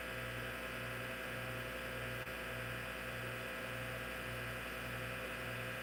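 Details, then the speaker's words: Hard drive in a vintage IBM PC/AT damaged in shipping. A loud high whir with a low hum pulsing about twice a second; the spindle motor and bearings are so loud the head movements can't be heard. "Can't hear the head movements because the platters are... Actually, not the platters, but the motor and the bearings sound so loud on this."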